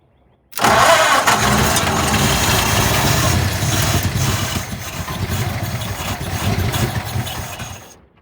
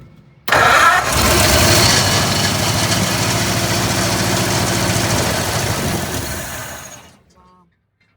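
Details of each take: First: 1948 Ford junkyard truck V8, unrun for decades, throttle pressed on the second try: it catches abruptly and settles into a slightly uneven, lumpy run, a first start after long storage. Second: Junkyard 1948 Ford truck, sitting for decades, carburetor leaking fuel: fires straight up, runs at a rough loud idle about six seconds, then dies. Owner suspects it's no longer pulling fuel from the float bowl, possibly debris in the bowl.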